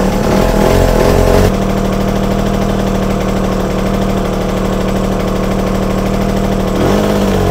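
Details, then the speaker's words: Yamaha TZR 250 3XV two-stroke running on one cylinder only while setting its carb air screw: uneven, lumpy idle near three beats a second, picking up cleaner after the screw was backed off half a turn from where it began to die. "okay I think that's picking up cleaner now um you know so I turned the screw and it started to die a little bit and so I backed off half a turn"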